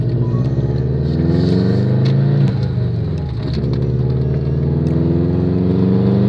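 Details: Subaru after cleaning the spark plugs to cure a misfire: engine revs up and back down with an even, clean exhaust note, no stumble or miss, smooth, linear power delivery; running healthy.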